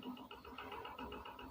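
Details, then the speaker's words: Fan with metal blades that stops by itself after about 5 minutes and runs slow: steady quick diesel-like knocking about four a second over the hum; motor coil fine, fault at the shaft and bushing. "W suaranya kayak diesel ya. Tok tok tok tok tok tok tok tok."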